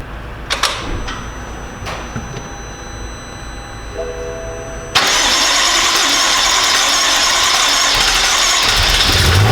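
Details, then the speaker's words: BMW M6 S63 twin-turbo V8, after repair of multiple-cylinder misfire, first start with air mass meters not yet installed: quiet priming ticks, sharp crank and catch into a steady even idle with no stumble; runs smooth. "Okay, so it runs smooth. Now I'm going to install the air mass meters with the air filters and I'm going to let it warm up."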